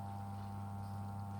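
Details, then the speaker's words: Repaired vintage electric fan, first power-up: steady low mains hum with a smooth, even tone and no rattle or scrape; the motor runs normally with plenty of power. "it sounds like it's working that seems to be working well it seems to be working yeah that's got heaps of power"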